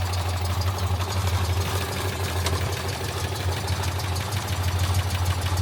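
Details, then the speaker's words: Citroën 2CV flat twin after service: tappets adjusted, new oil filter and oil, spark plugs cleaned and gapped; low steady idle with even beat and no tappet clatter, sounds healthy. "I'm not an expert in these things, but I would say that that sounds bloody marvellous."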